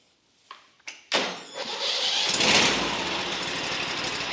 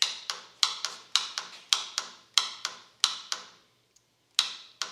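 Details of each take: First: Lumbermate 2000 sawmill with a Vanguard V-twin engine, started on choke with the key: a couple of short cranks, then it catches at once and settles into a steady, even run; clean start. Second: Sawmill with Vanguard V-twin engine: turning the key gives rapid clicking from the starter solenoid but no cranking; the solenoid is bad, clicking but not making good contact.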